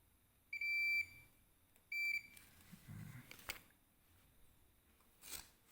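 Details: Fluke 287 multimeter in diode test mode on a horizontal transistor, black probe positive: two short clean high-pitched beeps, reading 0.028 (about 28 ohms); junction conducting.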